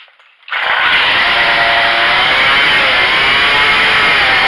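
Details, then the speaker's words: Craftsman two-stroke weedwacker after carburetor adjustment (screw turned half a turn left, started on choke): RPM reaches maximum but idle is too high, fast buzzing with no drop to slow idle, spool spinning fast; idle speed too high. "You can hear the RPM get to the maximum, and then this idle's too high right now. I can see it, the spool's going really fast."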